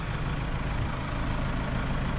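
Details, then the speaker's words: Case 75C diesel tractor, started days after a no-crank electrical problem (owner researched diagnosing the starter, ignition switch, clutch and neutral safety switches): deep, steady, even rumble with no misses. Normal diesel idle. "yeah the tractor started so this is a few days later"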